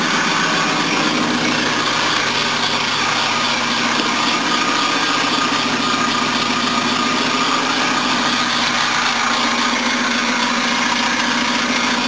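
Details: 1976 Mercedes W123 230 at idle on first start; busy chuffing tick plus high belt squeal. All belts are noisy, the exhaust is leaking, and a bracket is vibrating.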